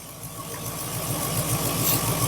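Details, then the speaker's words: Mk2 Triumph Stag V8 during tuning, balancing standard Zenith Stromberg carbs, one side adjusted to about 9 while other still at 6: smooth, even idle with steady low pulse, no misses or hunting; running a little smoother. "We're about 9. Hopefully you can hear she's gone a little smoother."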